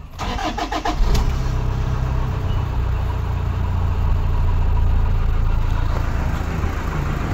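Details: 2013 Toyota Hilux 1KD diesel, 171 hp, after a new original number 4 injector was fitted: quick crank and catch, then a steady, even idle with no miss or lumpiness. Normal in the first 20–30 minutes; injector 3 later faulted when warm.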